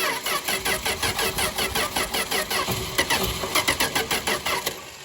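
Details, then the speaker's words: 1962 Dodge Lancer after carburetor overhaul and points work, ran the day before: steady starter churning under two beats a second for five seconds, never catches; crank-no-start, carb bowl possibly run dry, weak battery. "come on what did I what did I do did I Break It come on it doesn't crank anymore it's definitely that wire"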